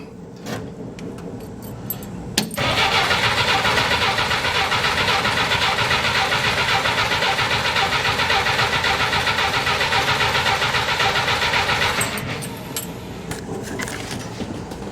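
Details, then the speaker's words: Willys Jeep engine with cracks, brass plug fitted in hole between cracks, gas line hole patched with rubber hose: starter churns about four turns a second, never fires; owner suspects badly fouled spark plug. "Well, of course, it cranked up off camera. I think it just didn't want to start because the plug was so fouled out."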